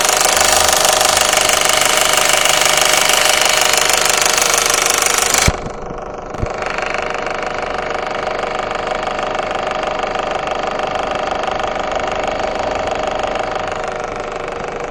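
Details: Audi 1.8T AVJ engine warm at idle: steady even knock about three beats a second from behind the engine between 800 and 1200 rpm; owner suspects cam chain tensioner or oil pump.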